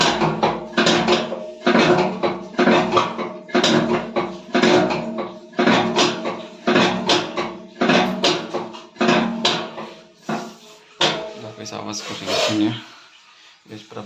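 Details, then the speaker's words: IFB front-load washing machine, heavy thud with rattle about once a second as the drum turns; broken drum bracket lets the drum knock, needs bracket replacement. "अभी आके drum problem है, तो अभी ये repair नहीं होती है तब तक ब्रैकेट नहीं होगा। ब्रैकेट से डालना है इसे।"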